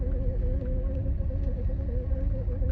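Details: BMW E91 xDrive while driving: steady low hum with faint warbling tone over road rumble from the drivetrain; source unknown.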